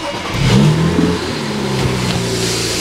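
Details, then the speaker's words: BMW 335i that misfired hard on cold start, possibly from leaky injectors: on a warm start it catches cleanly, flares, and settles into a steady even idle with zero misfires and no check engine light. A faulty part was blamed. "See, now it's just fine. Zero misfires, no check engine light."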